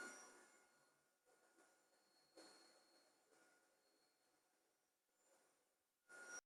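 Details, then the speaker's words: PICC Starfire plasma arc hob, an electric hob brought from Hong Kong, makes a strange noise at startup: a soft, quiet hiss with a thin high whine in short bursts as the arcs fire. This is normal operating noise. "so these are basically just plug and play makes a strange noise when you fire it up"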